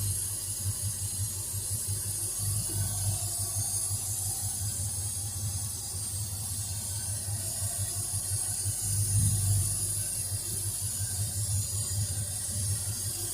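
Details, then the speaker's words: Ford Fairlane engine idling after mechanical fan reinstall; steady low idle pulse with strong constant hiss, owner notes unusually heavy air suction through the carburetor, cause unknown; loud intake hiss at idle. "I don't know if you can hear how much suction there seems to be going through that carburetor. That seems like an awful lot to me. I've never heard one like it's just sucking so much air."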